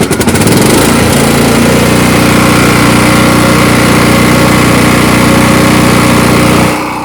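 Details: Cub Cadet LT1045 lawn mower that previously cranked but wouldn't ignite, traced to an electrical fault at a bad PTO switch: engine catches after a few cranks and settles into a steady, even drone with no misses or knocks. Runs smoothly.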